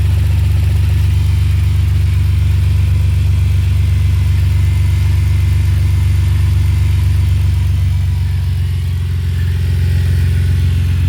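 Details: BMW E46 325xi that was knocking: steady idle with a quick, even tick-knock about four per second over the engine, seemingly not from the engine and not the power steering; worn alternator pulley.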